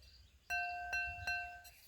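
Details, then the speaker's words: Bisque bowls from an Olympic 2831G updraft gas kiln, tapped three times: clean, bright, lingering rings with no buzz, slightly differing in pitch between bowls; both are sound with no cracks. "so you can you can hear the difference here on the ting it's a little bit higher on these hear that compared to this"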